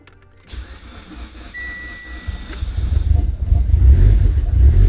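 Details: Fully built 2008-2015 Mitsubishi Evo X, new cams and fuel rail, first start after cleaning fuel system: catches after short crank, runs lumpy and uneven without steady idle; rough running, suspected super rich.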